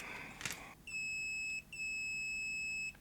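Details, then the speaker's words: Continuity check with a meter on a JVC BR-D85E (Digital-S/D9) recorder board after fitting a replacement AN3834K reel driver chip. Two clean, steady high-pitched beeps per probe; all connections good. "Right, they're all good."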